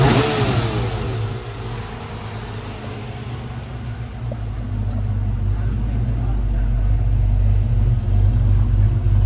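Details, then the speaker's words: 1995 Ford Mustang GT 302 V8 after general maintenance, plug wires reseated, fuel previously dirty: deep even rumble through loud exhaust, rising with revs, no stumble, sounds happier and idles properly; normal running. "like it's actually like it sounds like it's idling oh but it sounds better yeah it sounds sounds happier I like it"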